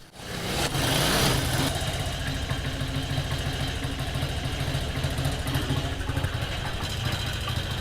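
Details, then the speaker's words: Carbureted 125cc Chinese budget commuter motorcycle after sitting about a week, carburetor air screw being adjusted by RPM and sound: quick blip then steady, slightly uneven single-cylinder idle; normal idle. "And I'm adjusting the air screw and looking at the RPMs, also listening to the sound of the motorcycle to find where it has"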